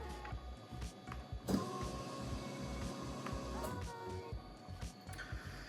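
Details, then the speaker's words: 1JZ-GTE VVT-i from a Toyota Crown JZS171 swapped into a Lexus IS200 on a plug-and-play harness, fuel pump active test from a scan tool: a faint electric whir starts and stops in short spells; the pump responds normally. "Fantastic, hopefully you heard that, but that was the fuel pump kicking on and off."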